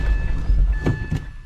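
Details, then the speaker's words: 2014 Isuzu D-Max 4x4 automatic diesel, neutral safety switch nut backed off, brake on: it cranks in park, catches and settles straight into a steady low idle without hesitation; normal start, the fix worked. "So it worked. I'm almost trying to start it again right now. I got it in park, put the brake on. It starts right up."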